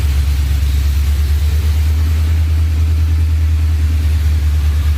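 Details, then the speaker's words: Ford SVT Lightning V8 with 3.4L Whipple, Trick Flow heads, forged block and cam. Deep loping rumble rising and falling with rev blips, no knocks or rattles, a normal choppy cam idle. "so one more time one more time we got to hear that cam dude was barely getting that low oh she sounds really good"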